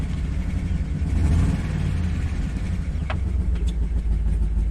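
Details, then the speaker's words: 2013 Chevy Tahoe ex-police LS V8 at idle, with a deep, lumpy beat and a cylinder dropping out; misfire and cylinder 1/4 deactivation codes, good oil pressure. This is before reprogramming to disable DOD/active fuel management; suspected DOD lifter fault. "it ain't going to run good like this brand new engine"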